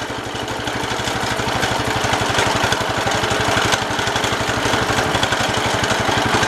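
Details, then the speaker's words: 1969 Cub Cadet 105 garden tractor, just started after work: quick, fairly even rattle about four per second over the single-cylinder idle; noise from the PTO up front, something there rattles, cause unknown. "Something up there rattles. I'm not sure what it is, but something in the front rattles."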